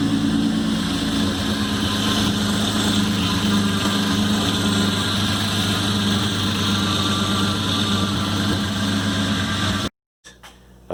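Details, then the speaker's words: 2013 Hyundai Genesis Coupe 3.8 V6 Track, manual, at idle before pump replacement: steady idle rumble with a thin, constant whine over it from the failed power steering pump. "before you go ahead and start yanking the car apart a few things that you want to troubleshoot especially when you got that winding noise coming from your power steering pump obviously check make sure you have fluid in the reservoir"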